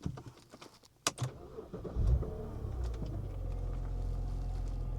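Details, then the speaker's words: BMW E90, second start attempt after coolant flush, new upper radiator hose and oil filter: short crank catches cleanly into a smooth, even idle just under 1000 rpm, no misses or knocks; normal start and idle. "She is running. Cold AC and everything, it's just the iDrive doesn't work. And running smooth at that. Look at that, we're staying right under 1k RPM."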